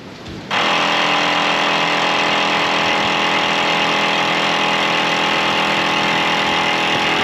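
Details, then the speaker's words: 1987 GMC Jimmy K5 Blazer diesel project at key-on, engine not running. The add-on electric vacuum pump cuts in with a steady, level whir and is working normally. "this is a vacuum pump uh you can't make vacuum with a diesel I guess because they don't have throttle blades or something"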